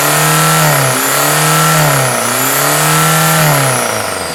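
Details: Used low-mileage VW 1.9 TDI ALH diesel engine, complete with turbo and AC, run via a control box: three clean revs rising and falling smoothly, no knock or rattle. Normal running and revving.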